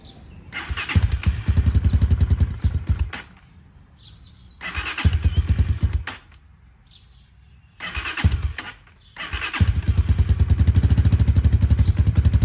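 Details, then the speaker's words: 2019 Hawk 250 single at 5,858 miles, 110 main jet, started cold and held at low rpm; fires and idles briefly then dies three times before catching, cold start stalling; no oil smoke when not revved. "you guys can tell it's cold because it keeps shutting off not wanting to run but again if i don't rev this thing up too much it's going to stay running"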